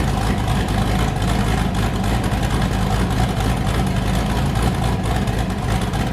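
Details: Boosted V8 with a new cam, just started after a repair; it had earlier made 23 psi, blown a coupler and sounded wrong. A loud, lumpy idle with a steady, uneven chop, running on all eight with no miss or knock: a normal choppy cam idle.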